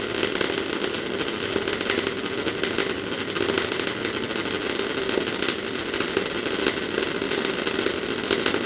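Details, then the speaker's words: MIG welding with normal wire feed speed but amperage turned right down: uneven spitting, popping crackle with no steady frying hiss; wire blobs without melting or fusing into the part. MIG welding with amperage too low. "So that's what happens when your amps are a bit low. As you've probably seen there, the metal was coming out of the machine at not a bad pace, but the problem was there wasn't enough amperage there to actually melt the metal as it hit the part."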